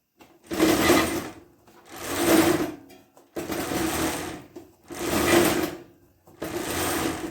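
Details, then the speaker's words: Mini bike with a long-standing chain drive problem, harsh whirring grind rising and dying in bursts as the drive is spun; the chain seems to bind on the jackshaft sprocket, clutch spins freely. "this chain seems to have a hard time on the sprocket on the jack shaft"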